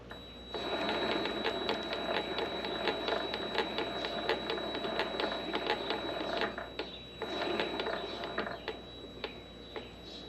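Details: Vevor MX400 mini lathe headstock with the spindle running: uneven rattling ticks over a thin steady whine, less bad at high rpm. Worn, loose 608Z idler pulley bearings are chattering.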